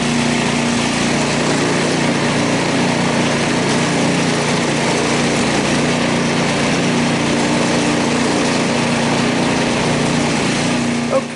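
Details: Snow blower, ethanol-free gasoline, tilted up with drive engaged to test wheels: steady high-pitched drone at constant speed, even, no slipping or squeal, then cuts off; running normally.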